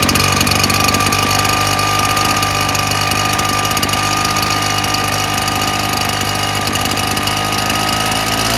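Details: Husqvarna 580BFS backpack leaf blower, which runs at full throttle then dies. Steady high-pitched two-stroke drone with a slightly rough, uneven edge; runs poorly, fuel filter, mixture screws or clogged carb suspected.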